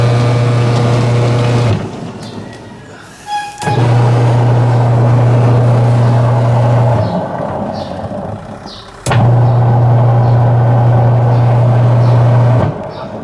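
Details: Washing machine that had a noisy, powerless impeller, restarted after the drive belt tension was adjusted. A steady low motor hum in even runs with pauses and no belt slap or squeal: running normally.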